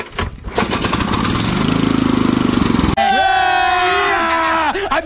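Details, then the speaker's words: Power tiller engine started on choke after carburetor cleaning and refitting, a pipe loose and torn: rough pulls catch and it settles into a fast, steady run with a clean high tone. Starts fine. "Start करते हैं पकड़ इधर से machine चौक में रख के चलाते हैं य हो गया"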